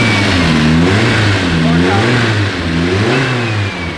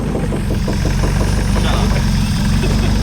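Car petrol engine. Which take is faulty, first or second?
second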